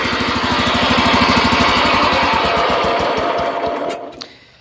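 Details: Kohler 12 hp single-cylinder engine after carburetor swap to a cheap eBay replacement (old Walbro had missing high needle screw): chugs at a fast, fairly even beat, then winds down and shuts off; runs cleanly, no misfire, normal running.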